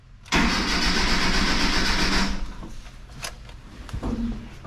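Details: 1986 Mazda B2000 2.0 after swapping to an aftermarket Weber carburetor with EGR delete, fuel squirted in carb: about two seconds of steady starter cranking, then stops without catching; cranks but will not start.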